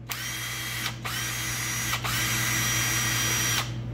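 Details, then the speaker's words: Harbor Freight Bauer 3/8-inch cordless impact wrench, under six months old, after greasing the dry bearing and hammer mechanism and reassembling: smooth, even motor whir on trigger pulls with no rattle or grinding; noise gone, gritty bearing suspected as the cause: normal running. "I reassemble the whole impact tested it out and the noise was gone now it sounds just so much better"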